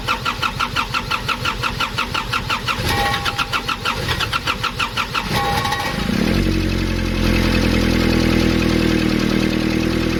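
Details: Nissan Urvan ZD30 diesel, previously a no-start, after a black, dirt-clogged part was cleaned and refitted: starter cranks at about three turns a second for six seconds, then it fires and settles into a steady, even idle.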